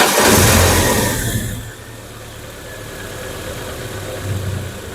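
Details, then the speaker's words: Chevrolet Blazer LT after an engine overhaul with new seals and gaskets: it catches, revs briefly, then drops to a steady, even idle with no knocks or ticking, running smoother than before. "Alhamdulillah ya mesin menyala normal dan untuk suaranya lebih halus ya dari sebelumnya"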